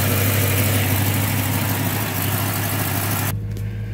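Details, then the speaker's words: 1969 Dodge Coronet R/T convertible, 440 V8 375 hp, warm idle after about 15 minutes running: steady even deep lope, no knocks or ticks; healthy-sounding engine. "been running here for about probably 15 minutes now I paused my camera several times uh nothing nothing too"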